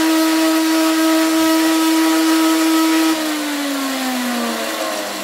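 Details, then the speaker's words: Freeplay clockwork wind-up radio: loud steady high whir that drops and slides lower as the spring runs down; drive belt came off, so the spring spins freely with no connection to the dynamo. "there's no mechanical connection between the two because the belt is has come off and where was the belt the belt's floating"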